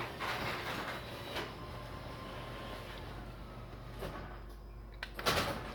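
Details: Garage door opener running as the door jams again after stopping halfway going up the night before: low motor hum with uneven scraping and sharp bangs, dragging and binding along the track. Rollers likely need adjusting.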